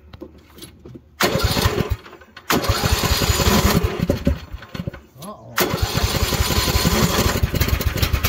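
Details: Craftsman hydrostatic riding mower after the repair (broken fan replaced, plastic shields removed), listening at the pulleys underneath: the small engine fires and runs in bursts between pauses, with no grinding or rattle. It was formerly loud, as if falling apart, and now sounds healthy.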